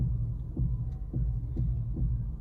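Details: Honda CR-V: dull clicks, about two a second, over a low hum while steering, louder the slower the wheel is turned; caused by worn strut mount bearings (shock absorber mounts), which fail even on original parts.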